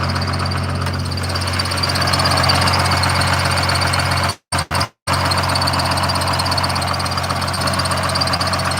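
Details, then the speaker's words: 1986 Ford F350 diesel pickup idling steadily, with a faint, quick, high chirp over the engine that the owner suspects is a slipping drive belt; the cause is not confirmed. "this a little Bel just a little belt chirp that's Clifford guys in case you were wondering"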